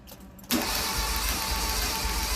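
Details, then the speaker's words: Fiat X1/9 cranking with a compression gauge in a plug hole: after a quiet moment the starter spins fast and evenly with no compression beats, perhaps two psi; plugs pulled were wet; no compression from a jumped timing belt. "nothing that's work that is not good well we might have two pounds oh i hate telling customers this this is not good"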